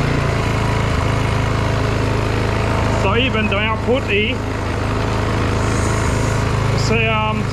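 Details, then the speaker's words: Petrol generator, after service, powering a 2000-watt heat gun at about 7.2 amps: holds a steady even drone under heavy load with no surging or labouring. "watts and i'm 7.2 ampere so it's looking good on hot gun"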